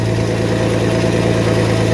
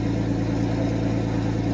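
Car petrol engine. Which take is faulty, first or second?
first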